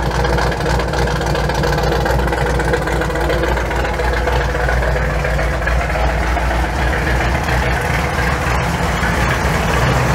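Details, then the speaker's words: Truck V8 with Holley Sniper EFI after loading the learned base fuel table: idle still hunting between about 850 and 900 rpm, air-fuel ratio now right and less rich; lumpy drifting idle with a faint puffing rasp, possibly from a remaining exhaust leak. "so I've got everything put back together she's running really well idle's still kind of searching a little bit running between like 850 and 900."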